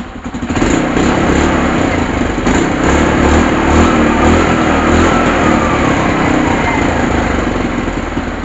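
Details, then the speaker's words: KYMCO Super 8 scooter after CDI replacement, restarted: fires on one click and holds a steady, even single-cylinder idle with no misses; running healthy, the CDI was the fault. "Paandarin natin ulit. Andar. One click."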